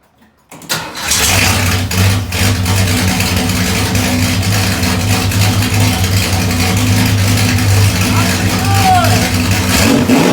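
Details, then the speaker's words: 1972 Ford Maverick Grabber, Ford 302 V8, first start with a new budget stainless straight-pipe exhaust with X-pipe, already warm after timing adjustment: fires instantly into a loud, deep, lumpy burble with quick blips; normal start and idle. "can't wait to actually hear what it sounds like first start you guys get to see with the uh new exhaust in I just was messing around the timing so she's already warmed up hopefully she'll fire right up"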